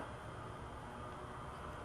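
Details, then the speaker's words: VW A4 with engine running, smoke seen from under the manifold: steady soft hiss over a quiet engine from air sucked through a completely broken hose to the PCV check valve; vacuum leak. "and like I said I can hear it so it's definitely got to be a cracked hose of some kind"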